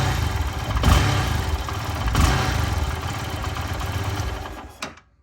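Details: Lifan KPR 200 single-cylinder motorcycle, half warm on a cold day, after adjusting the idle air bypass ("gulp") valve to stop stalling when blipped from idle: even idle, two quick clean throttle blips without bogging, then shutdown; fixed.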